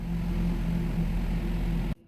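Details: Renault/Nissan QM5 (Koleos) 2.5 petrol idling after an engine oil, oil filter and air filter change to Kixx G1 synthetic, replacing a thick additive possibly linked to stalling: low, even idle hum, steady rhythm, no stumbles or misses, healthy.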